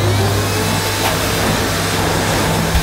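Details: Early 1990s Hitachi CV-790 bagless vacuum, 240 V, 1000 W nominal; loud, steady motor roar with constant rushing airflow and no rattles or pitch drops, running normally.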